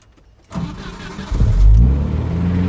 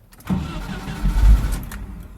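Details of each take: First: 1988 Jeep Comanche 2.5L Renix I4, start with no foot on throttle after idle speed motor/TPS work: short crank, catches right away and settles into steady idle; clean normal start, though idle afterward runs high. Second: 1988 Jeep Comanche Renix 2.5L I4: cranks, catches briefly, runs about a second then dies without throttle; starts only with gas; idle speed motor (throttle stepper) suspected stuck shut.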